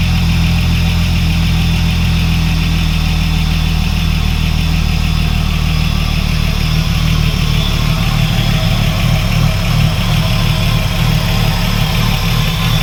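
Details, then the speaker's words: Ford AU SOHC Intech turbo, first start after rebuild: steady, loud idle with an even low rumble, no knocking or misses; idle slightly high (should be nearer 500), likely from missing intercooler piping; normal idle. "should be sitting down a bit closer towards 500 but that's probably because I haven't got all my indic cooler piping on there either"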